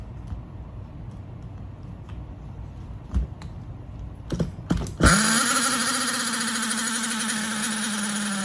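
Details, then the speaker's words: Hyper7 nitro RC buggy engine, just unlocked and run on 20-year-old nitro fuel, first bench start: clatter, then it catches with a sharp bark and settles to a steady high buzz; runs, but compression is low. "So now the motor is, I mean, it doesn't have a whole lot of compression, but it does have compression."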